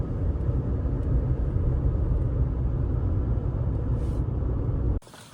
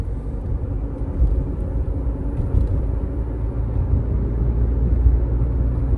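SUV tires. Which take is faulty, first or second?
second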